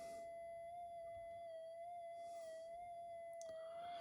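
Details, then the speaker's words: Minelab GPX 5000 metal detector with loss of depth, modifications stripped: touching the output gives only a faint high whistle and hiss, far weaker than expected; 4053 IC or mylar suspected. "so if I get in here and I touch the output there it makes a bit of a noise if you can hear that it should be dead quiet"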